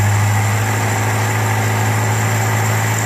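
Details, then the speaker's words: Volvo Amazon 122S with Weber DGEV 32/36 carburetor and newly replaced, adjusted choke, cold engine warming up: even, steady drone at raised fast idle on the choke, no misses or knocks; air/fuel about 12.9–13. "hopefully when the engine warms up a little bit that carburetor will the choke will stay open to give it a fair amount of air & fuel mixture"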